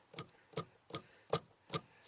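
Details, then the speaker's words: 2015-2018 Ford Mustang S550/Shelby GT350 dash after sound-mat fix: module struck hard gives sharp single thumps about twice a second that stop cleanly, with no extended resonance buzz or rattle. "you don't hear that that extended resonance buzz and I'm hitting this thing hard"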